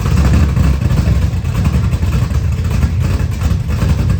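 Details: 1979 Camaro with a 355 V8 just reinstalled, restart at idle: loud, lumpy, stumbling beat with slight hunting. Timing read 20 degrees with a backfire earlier; air-fuel ratio about 22.5:1, dead lean.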